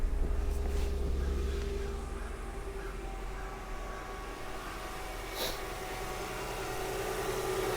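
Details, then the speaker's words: Mercedes E320 idling after installing a new unit on the belt side: quiet, steady hum with no chirp, squeal or rattle from the belt end; much quieter than before the repair, engine healthy. "is so much quieter"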